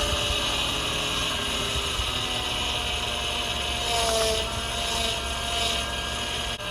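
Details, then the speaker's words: 2004 Honda Odyssey 3.5L J35A V6 after burnt-valve, head gasket, timing belt, water pump and mount repair: steady mid-pitched whine, wavering briefly, from power steering pump; owner thinks it sucks air on inlet side, rebuild kit ordered. "the noise you're hearing is the power steering pump i've got a kit coming to rebuild the power steering pump so we can get rid of that i think it's just sucking air off the inlet side"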